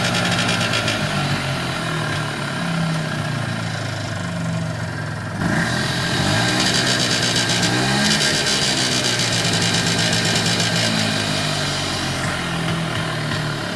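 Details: 1994 Polaris Xplorer 300 4x4 after a top-end rebuild: raspy buzz at certain rpm ranges and on deceleration, with or without the primary clutch, driving or stationary; nothing obviously rubbing or vibrating; source unclear.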